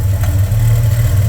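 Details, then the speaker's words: VJ Dodge ute idling through new custom 2-inch exhaust with proper muffler: deep even low burble, steady throb, no knocks or misses; normal idle, some smoke noted separately. "that's a little sound at idle got a little burble to it"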